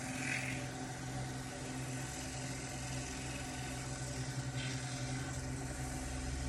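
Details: Wood lathe spinning a small elm bowl at about 800 rpm while oil is applied: steady, even low hum with constant pitch, no knocking or grinding; running smoothly.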